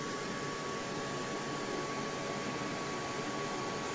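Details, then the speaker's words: Oukitel BP2000 battery with B2000 extension batteries connected to an EcoFlow PowerStream, charging; switching charge rate from 600 W to 1800 W makes the cooling fan blow harder, an even airy rush with a thin steady whine, working normally. "Vous allez voir ce qui va se passer ici. Hop. La ventilation souffle davantage."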